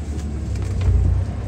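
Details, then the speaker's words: 2005 Chevrolet Silverado manual, sat a year, after repairing misfires on cylinders 1 and 2, driving: even low rumble with steady pulses and no bucking. Engine now smooth, accelerating with no hesitation. "but now it's it's nice and smooth it accelerates real good no hesitation at all"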